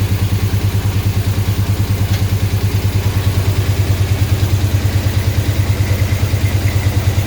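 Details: 6.1 HEMI V8 swap in a 1970 Coronet, first run with no coolant: heavy regular loping chuff at about two and a half beats a second over the idle; injectors on cylinders 8, 6 and 4 not firing. Misfire from dead injectors.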